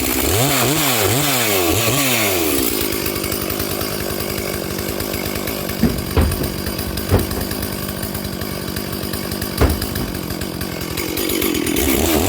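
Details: Stihl 440/460 hybrid chainsaw on its first tank of fuel after rebuild, rings bedding in, at full throttle: revs up then holds a blubbery, uneven four-stroking burble from a rich carburetor setting needing a slight tweak.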